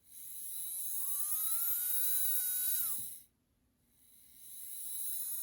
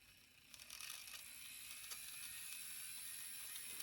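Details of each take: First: Bowser K11 4-6-2 model steam locomotive motor after cleaning and oiling during an overdue tune-up: two short runs of clean high whine rising, holding steady and winding down, sounding better, smooth with no grinding. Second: Bowser K11 4-6-2 model steam locomotive, kit-built, unserviced about five years, run on bench during tune-up after regreasing gears: faint thin high-pitched whir with dry scratchy edge; dry motor bearings need oil.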